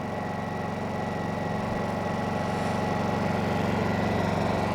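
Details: New Honda EU2200i inverter generator idling in eco mode, not yet loaded: quiet, steady low hum with an even, unchanging beat, no knocks or hunting; idling smoothly.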